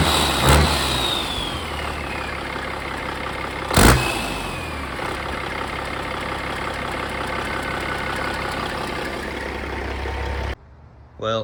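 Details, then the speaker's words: Rebuilt Caterpillar 3406E haul-truck diesel on the shop floor, restarted the next day; owner unsure whether an injector puts fuel in the oil: settles into an even, low idle after a couple of sharp bangs, no misfire or knock, then shuts down; should be a pretty good engine. "it's definitely not going to win any beauty contests but it should be a pretty good engine really"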